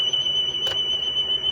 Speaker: Let's go to 1%, and we're down to about 0.8% wow and flutter. Our drift is pretty much on, so it's not changing the frequency of the recording at all.